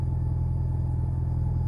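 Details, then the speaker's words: Alfa Romeo GTV after fuel pump replacement: even, deep idle with smooth pulse and faint constant high hum from new, quieter fuel pump; starts and revs normally. "it's uh that was a good start though that run well can it do some rev seems to be okay i think we've got it folks"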